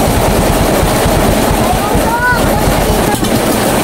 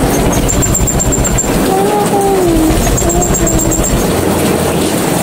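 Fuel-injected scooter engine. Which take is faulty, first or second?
second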